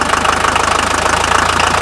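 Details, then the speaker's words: 1979 Mercedes 300 SD turbo diesel, mic held up close: loud, even idle clatter with steady sharp ticks and no misses or uneven beats; old diesel running normally. "now I'm gonna fire this engine up right now and you will be amazed the difference in sound"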